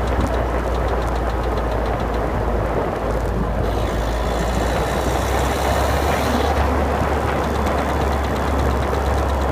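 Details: 2011 Citroen DS3 110 HDi diesel at idle: light rapid clicking at an even beat over the idle, engine-driven but source not pinned down; clicking noise at idle.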